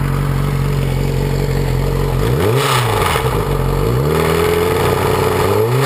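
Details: 2006 Yamaha R6 after a highside crash, revving: light metallic chain-slap chatter, present cold at idle, louder at higher rpm even hot; confirmed faulty cam chain tensioner, spring not seating, reassembly cured it.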